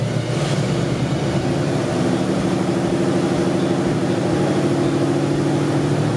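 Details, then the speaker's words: Squarebody C30 crew cab dually, 454 V8, after a new cam and lifters and the distributor timed about four degrees: fairly even, steady idle with a smooth low burble, no misses or knocks; sounds healthier, normal idle. "you guys need to listen to this thing red we listen to it that sounds way healthier dude we really did something here"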